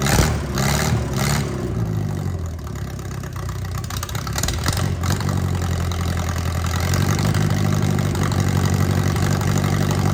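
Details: Mercruiser 3.0 marine engine with cracked block, unknown running history: fires, stumbles briefly, then holds steady low throb about four beats a second. Runs and idles normally.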